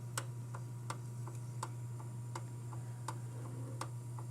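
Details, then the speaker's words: Panasonic RX-DS50 boombox tape deck playing a tape: sharp, slightly uneven clicks roughly every half second over low motor hum; abnormal clicking, stops in reverse, slow fast-forward and later jams. "but i don't know if you hear that clicking noise that's not what i would consider normal"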